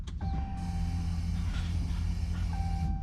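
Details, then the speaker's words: Hellcat-swapped car with a fuel pump that was not priming, now replaced: at key-on in run a steady low electric hum lasts about two and a half seconds, then stops as the lines fill; the pump primes normally. "The fuel pump was not priming, meaning when you turn the key, when you hit it again and put it in run, you should hear the fuel pump turn on, and that pretty much like fills up the fuel lines."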